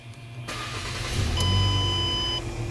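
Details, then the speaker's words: 2008 Ford Escape 2.0L with no-start/no-crank from a faulty ignition switch, started by jumping the switch power feed; brief crank, catches cleanly to steady idle with a chime; starts normally, ignition switch needs replacing. "you go vehicle starts pretty cool needs an ignition switch 100% no doubt"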